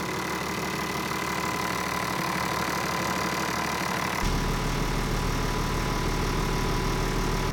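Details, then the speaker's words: Land Cruiser 80 Series 1HD-FT diesel, first start after swapping tired stock turbo for a used G-Turbo: steady clattering idle, no abnormal turbo whistle or scraping, no blue smoke; healthy. "there is no abnormal sound on the turbocharger. It also doesn't smoke blue, so actually I'm pretty happy."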